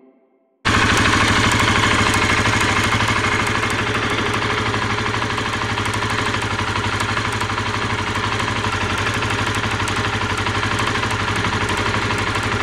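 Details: Honda CBR125R single-cylinder idle with sharp, high "click-click" ticking on every firing pulse, first heard while riding; spark arcing from a badly rusted plug lead, rust cleaned as a stopgap, lead replacement suggested.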